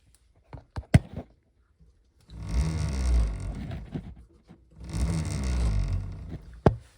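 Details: 2023 Zero FX ZF7.2 electric motorcycle with very low odometer mileage: two spells of low rough grinding rise and fall as the motor spins up. The main motor bearing is suspected to be failing; the motor was already replaced and the noise remains. The bike also won't charge.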